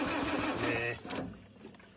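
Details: Land Rover Series 2A left sitting several years in a paddock: starter churns hard about a second without catching, then fades, crank no start, fuel tank issues suspected with fuel not reaching the carburettor bowl.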